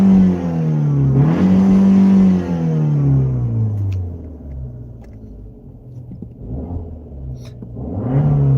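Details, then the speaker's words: Dodge Dart petrol engine revved freely in neutral after misfiring in gears, rising and falling cleanly with no stumble or miss; spark plugs suspected; smooth free revving in neutral. "so it works perfect flawlessly even and neutral there's no [Music] issues sounds good I mean it's it's a happy car"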